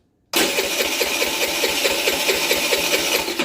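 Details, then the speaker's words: $100 used 50cc Chinese scooter after carburetor replacement: starter churns steadily at about five compression beats a second, never catches; no spark, coils tested with no change, CDI suspected next. "tell you what let's check Spark okay let's uh let's see if that cylinder's sparking or not that spark H has no spark so we had a no spark scenario"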